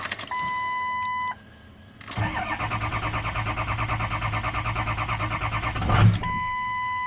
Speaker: it'll crank up and just as it goes to start it'll pop a little bit and it will shut right off